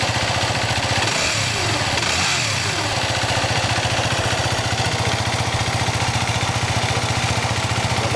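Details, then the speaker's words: 2008 Yamaha WR250R single just after oil and filter change (about 1.2 L IPONE Katana 10W-50, Hiflo HF140 filter), bike upright, oil circulating: steady, even putter at idle, regular firing pulses, no knocks or rattles; normal idle. "La moto dritta, accendiamo. L'olio va in circolo, lo lasciamo così, controllando che non cali troppo."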